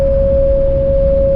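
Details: Camper van with newly fitted Thule roof rack, driving at speed: loud steady pure tone over low road rumble, a constant high-frequency howl of wind over the rack bars, so bad the driver slows down.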